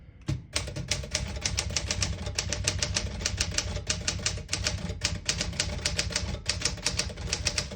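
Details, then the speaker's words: 1965 Smith Corona Sterling manual portable typewriter typing: crisp, even key strikes at a brisk steady pace, clean typebar snaps, no sticking or dragging. Healthy typing action. "As you can see, all the keys type nice and none of them skip or stick."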